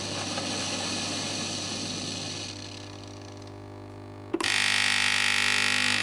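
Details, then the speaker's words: Philips LatteGo espresso machine, pump inlet hose pinched to simulate fault: quiet spell then sudden loud harsh steady buzz, pump straining dry, repeated tries then error; cause failed or clogged flowmeter or blocked water intake. "Od razu pompa pracuje dużo głośniej. To chyba słychać, prawda?"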